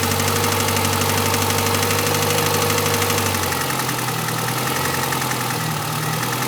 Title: bruit moteur clio rs1